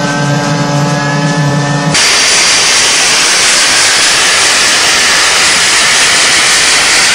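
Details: DIY turbocharger-based gas jet turbine go-kart with diesel afterburner, started on gas with blower and igniter, idle about 22000 RPM: short whistling spool-up into steady even roaring hiss, no pulsing; running smoothly.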